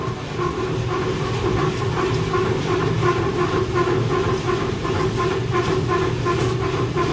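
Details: 480V pit auger motor at grain bins, newly replaced: steady motor hum with an even rhythmic clatter about three beats per second as the auger turns freely and moves sludge and beans; normal running.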